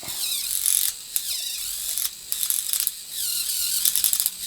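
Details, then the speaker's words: TOMY Thomas Arthur toy engine after reassembly to fix a slipping axle gear, test run sped up 1.5x: high motor whir with uneven ratcheting clicks; owner suspects a gear inside the motor releases under resistance; improvement unclear. "I think what is happening is after a certain amount of resistance that gear there's another gear inside of the motor that will release itself so it doesn't break"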